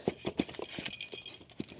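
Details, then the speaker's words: Slow uneven metallic clunks and rattles as a removed bat wing brush cutter gearbox is hand-turned; broken gear teeth with loose metal chunks inside, gearbox a goner. "I can hear it just chunks of metal just me you know floating around in there"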